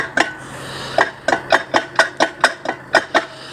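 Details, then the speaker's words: Axle taken off this one turned by hand after removal, owner swapping in the axle taken off the 62: sharp metallic clinks about three a second, worn differential gears with excess play inside; owner says the metal is well worn. "Happy days, I'm pleased I took it off, like, because if you hear the metal inside, like, it's well worn, like, don't know if I can do it."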